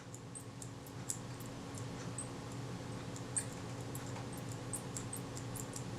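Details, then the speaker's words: Kodak Retina Reflex III camera shutter worked by hand gives faint high squeaks: the pin acting against the detent spring has too much friction, possibly from a too-tight or bent spring; fixed with a spot of moly paste. "it shouldn't squeak it means that this pin here which acts against that deten spring it's too much friction"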